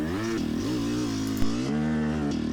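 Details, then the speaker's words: Yamaha YZ250X two-stroke with Panthera electric start, hard enduro riding: revs hang high, then pitch drops abruptly coming down to mid-range, the signature of the exhaust power valve slipping off its held-up state; sticking power valve. "trying to come down to the mid-range and then an abrupt grossness and then that abrupt change is really the signature that's the power valve slipping off of its uh held up state if you will"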